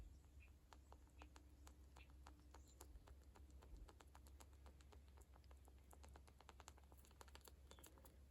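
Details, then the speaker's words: Walbro carburetor from a STIHL MS440 chainsaw, being rebuilt with a kit: dry crinkling chip-bag crackle as the metering diaphragm is flexed by hand; the diaphragm is stuck and stiff and should be quiet and smooth. "You shouldn't be able to hear that. I don't know if it'll show up on camera, but you should never be able to hear your metering diaphragm whenever you're like moving it around. It shouldn't sound like kind of a potato chip or a piece of potato chip bag or anything like that."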